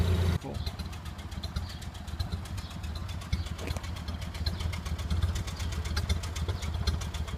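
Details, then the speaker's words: Early 1928 Ford Model A Tudor, warm after a drive, with a newly installed Aries muffler: low, even idle with a steady, soft exhaust pulse and no misses or knocks; running smoothly and healthy. "And boy, she's idling down nice now. And you can hear it. Sounds wonderful."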